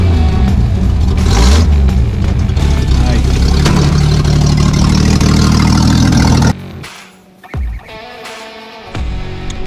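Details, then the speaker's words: 1973 Toyota Land Cruiser FJ55 with FJ40 carburetor, revived project: loud, deep, raw unmuffled roar swelling with throttle then dropping to idle; exhaust pipe disconnected from exhaust manifold, causing exhaust leak. "so we had a couple successful runs on this old girl you can tell the exhaust manifold is disconnected um the exhaust pipe so it's pretty loud"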